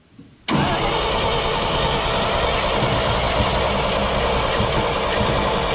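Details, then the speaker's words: 1942 Blitz truck with new carburetor, started via starter lever: engine catches instantly and settles straight into a steady even idle without misses; normal start and idle, idling much better. "So she's idling a lot better now."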